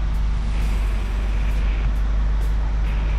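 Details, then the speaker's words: 1987 Chevette converted to a manual transmission, idling with the clutch held in while first gear is selected, about an inch of pedal play: steady, even low rumble with no grinding or chatter; clutch engages positively and works normally. "clutch has about an inch of play in the pedal and my goodness does that feel nice positive engagement oh yes"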